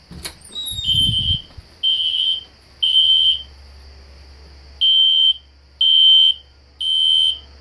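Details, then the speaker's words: System Sensor SpectrAlert Classic horn strobe set on low volume, doors shut, no control panel. Shrill horn blasts about once a second in a quiet room: the horn sounds normally. "I have the classic Spectre alert horn strobe set on low volume so it's not too loud you can hear it in the background"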